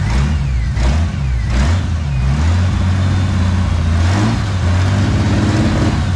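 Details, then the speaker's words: 1997 Mustang on the first start after an engine rebuild with the bent rod replaced, not yet warmed up: hand revs swell and sag with a choppy, spitting, sputtering beat, possibly running on six. Rough running, cause still to be diagnosed. "go ahead and start it up see if it'll idle again we'll let it we'll let it warm up do a heat cycle and then we'll diagnose why it's kind of spitting and sputtering"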